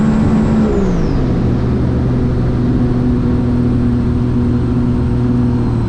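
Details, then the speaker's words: 2017 supercharged Sea-Doo RXT-X 260 jet ski with higher-compression pistons, after the map-tuner fuel adjustment: revs settle from a higher pitch to a steady, even drone with a faint whir; normal running. "all right we adjusted the the fuel on the He adjusted on the computer on on the map tuner and we're going back see what we got"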